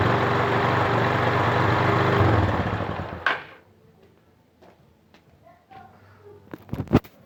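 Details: 2006 Honda CG Titan 150 Sport motorcycle after washing caused no-start and starter motor short-circuit noise; after bump start and warm-up to dry electrics, it starts first try and runs smooth with a steady throaty note, no misfire.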